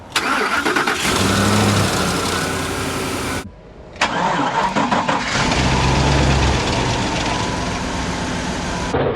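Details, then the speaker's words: 2008 Ford F-150 King Ranch 5.4 3-valve Triton V8, cold start: about a second of loose metallic clatter from the top of the engine before idle smooths; suspected phaser or lifters, timing chains, phasers, tensioners and oil pump replaced. "uh yeah I heard the rattle did you guys hear it I think I heard it right over here rattle noise top side of the engine we believe it's a phaser or lifters or something of that nature"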